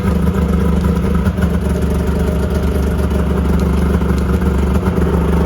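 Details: 2001 Yamaha Venture two-stroke snowmobile after cylinder repair and cleaning of clogged carb jets, electric start with maybe half choke: crisp even idle with steady low burble, no misses or knocks; running healthy.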